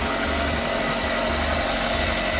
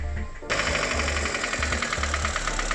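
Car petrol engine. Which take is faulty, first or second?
second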